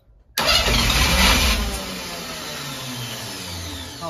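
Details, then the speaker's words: 1971 International Metro Mite, AMC 232 engine, cranked on 24 volts with rebuilt starter: sudden loud pop as fast cranking kicks in, then rough settling rumble; backfire out the intake through an open hole left by the battery cable. "I just saw it puff. It backfired out the intake through the hole."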